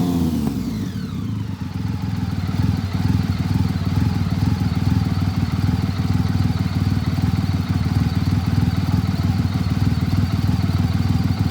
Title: BMW K75 Misfire